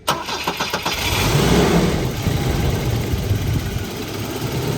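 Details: 1984 Volvo 242 with B23 LH2.1 engine and automatic, previously would not run, after cleaning grounds and adjusting throttle cable: a few quick cranking turns then catches at once and idles; still stumbling slightly, possible vacuum leak or old fuel suspected.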